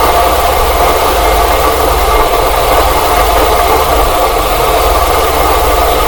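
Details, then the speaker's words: Truck idling with a constant gritty whir in the belt area; oil sprayed on the pulleys changed nothing, and listening through a funnel and hose points to the water pump, though its pulley shows no deflection; bearing noise at idle. "sounds like the water pump definitely sounds like it's the water pump H but I don't have any deflection on the pulley though"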